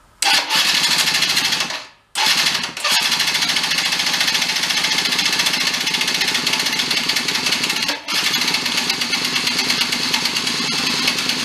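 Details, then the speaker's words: Benelli Andretti Z50 two-stroke scooter, 500 miles, stored long after losing spark, started on premix poured in: revs high and rattly, brief stall near two seconds, then runs unevenly, smoking heavily. Pumping oil out. "pre-mix down the throat give her a fire think she'll go i think it's gonna go smoking pretty good out the exhaust"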